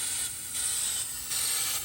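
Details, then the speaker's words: Hyrel 3D pick-and-place vacuum ejector on a Hydra 21, fed by a small compressor: a steady compressed-air hiss that steps louder and softer as the valve is manually cycled, with the sound changing when a finger covers the vacuum tip. Operation is normal. "You hear the difference of the vacuum versus not vacuum."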